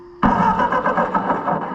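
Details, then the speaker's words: Ford 8N tractor, after fixing an ignition connection that now sparks: engine catches suddenly and settles into a rough, lumpy chug that keeps going; starts and runs on its own. "Oh yeah. We got us a runner now, boys. I bet you."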